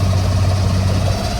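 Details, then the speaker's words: Electric Yacht 10 kW electric motor replacing the diesel in a vintage schooner, engine cover off, in the slip, phone recording: steady low hum with faint even whir, rising from about 1,000 to 1,600 rpm; smooth and quiet. "So we're gonna bump it up. That's right at 1,000 RPMs, about 1,300. The boat's moving in the slip pretty good. 1,500 RPMs, 1,600,"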